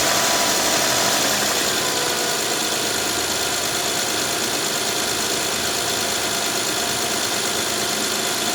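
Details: 2011-2017 Honda Odyssey V6, first start after a timing belt kit replacement. Steady, even running under a loud constant hiss, with no knocks or ticks: normal idle.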